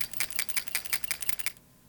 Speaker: shaking your PCV valve will let you know how goopy it is inside it should bounce freely with a nice loose clicking sound as it jostles around